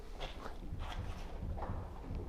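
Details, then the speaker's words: Volvo XC90 rocked by a helper: dull hollow knocks about every 0.7 s from worn front anti-roll bar bushings. The end links were replaced and are not the cause; the squeak goes unheard in cool weather. Bushings come only with the whole bar. "Вот, это и есть, собственно, стук стабилизатора."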